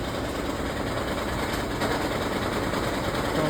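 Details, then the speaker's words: Loud, uneven rattling clatter over a steady engine drone on a 2013 Lexus CT200h after water pump replacement, loudest while the hybrid battery charges; radiator fan not working, head gasket possibly suspected, cause unconfirmed. "So, this is what happens when it charges the battery. This noise comes out."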